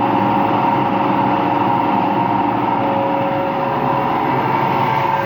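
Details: Empty washing machine on rinse and spin with no clothes, a steady loud roar with a faint whine on top at fast spin; owner suspects both the motor bearing and the drum bearing are worn, and no leak is seen.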